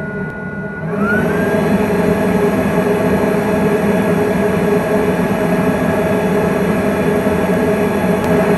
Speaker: module fan is running right now and i can barely hear it it's made a huge difference so it's changed from the sound of a vacuum cleaner going all the time to a light office conversation